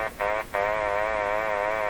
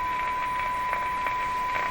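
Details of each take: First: Philco 38-C7 tube radio before IF alignment: a steady whistling tone wavering gently up and down, cutting out briefly twice, from a sweep ending at 500 kHz, off its dial; owner suspects it is tuning down into its own IF range. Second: Philco 38-C7 tube radio during IF transformer alignment, fed a fairly weak signal: clean, steady one-kilohertz tone holding its level over soft background hiss as AVC raises sensitivity; the radio still receives the weak signal properly.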